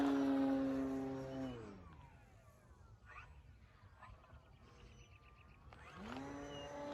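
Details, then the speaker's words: FMS Pitts electric RC plane after balancing prop and spinner and fixing loose parts, 6 mph wind, 48 degrees: smooth motor whine eases on throttle cut, quiet glide, spools back up cleanly, no buzz or shake; noise gone, normal flight. "Well, it looks like I got rid of that noise. That's good."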